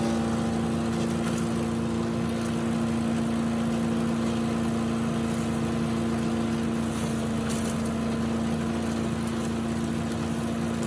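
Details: Tecumseh-powered Yard Machines chipper rescued from the junk pile, with some water still in its oil, chipping leaves and small branches: it holds a steady, even drone under load with a light crackle of chipping on top. It runs healthy.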